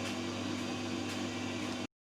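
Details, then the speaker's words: Electrolux dryer after inner shroud replacement, running empty about 10 minutes: steady drum hum with a faint constant whine, no scraping or knocking; runs normally. "okay okay i'm happy that's been going for probably 10 minutes and uh look sounds good so i'm gonna stop that now got a slight wine to it but um most of the dryers have that you don't hear that when they're actually full of clothes"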